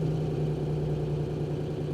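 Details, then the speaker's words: Mazda RX-8 manual with a small exhaust leak and good oil pressure: steady low idle that almost sounds like a diesel, a fine even chatter over it that won't stop while otherwise running smoothly; rattle at idle, source unknown. "come on stop rattling no she's not gonna stop is she well it's running smoothly"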